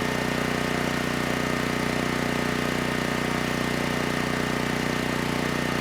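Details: Generac GP6500E generator after repair of seized engine, warmed up, under load up to 6,000 W near max: steady, even constant-speed drone with firm low thump, no hunting or surging; held 121 V, just below 59 Hz, no issues.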